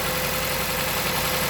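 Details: Jeep Patriot petrol engine, 162,000 miles, codes P0302, P0171, P2096, P000A, starting after a replacement: uneven, lumpy idle with a faint steady whine from a cylinder misfire; charger noise in background.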